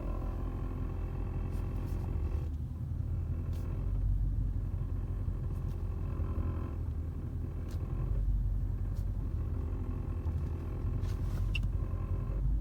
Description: My 2008 W216 Cl63 recently experienced a weird knocking sound that can be heard from the interior while idle, the sound disappears when rpm increases above idle and reappear when stand still at traffic light.